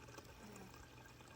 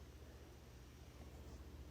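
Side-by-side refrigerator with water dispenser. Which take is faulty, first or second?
second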